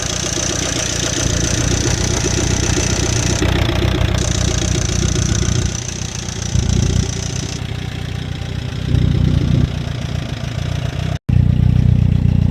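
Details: Chevrolet Captiva with a used replacement engine idling with an irregular knocking tap about three per second through the engine note; owner suspects a bad used motor, not confirmed.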